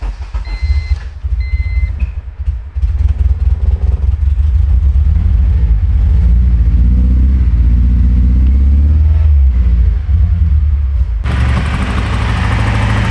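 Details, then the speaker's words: K20Z3 K-swapped 1996 Honda Civic, Burton Racing ECU, first start: beeps then lumpy, uneven stumbling idle, seemingly running on only 2 cylinders; air in deadheaded fuel system, bled at line end, then ran perfectly smooth. "It seems like it's only running on 2 cylinders right now. Since this is a deadheaded fuel system, we went ahead and cracked the line off of the end, bled some air out of it, and shortly after that it ran perfectly smooth."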